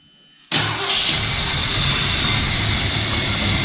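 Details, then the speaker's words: 1978 Ford E150 Econoline van engine, starter just replaced, fuel poured into the bowl, catches on starting fluid and runs with a raspy roar, then stalls; motor sounds good, owner suspects no fuel delivery: tank, lines, dry or unprimed fuel pump. "yeah i say it's just not getting fuel for whatever reason whether it be tank tank could be lined fuel pump probably dry or yeah not primed yeah motor sound sounding good real good"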